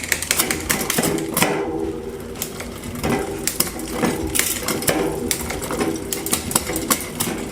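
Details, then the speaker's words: Trek Top Fuel MTB after new cassette, chain and cable housing: steady freewheel ticking with crisp single clicks as the chain steps up and down the cogs, washing machine humming behind; clean shifting. "I was able to go up up down and keep going up down to make sure everything got hit perfectly."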